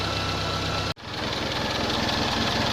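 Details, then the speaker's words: Nissan Bluebird after head gasket replacement, first successful run: smooth, even idle with steady low beat and one brief dropout, settling quickly; runs cleanly, though coolant leaks from thermostat housing. "there's a leak on the thermostat housing so it's not ideal but um she runs and sounds beautiful"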